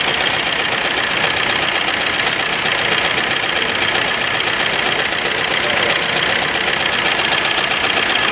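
Steady diesel clatter with an uneven beat around four a second that keeps faltering, the typical lumpy run of a diesel misfire.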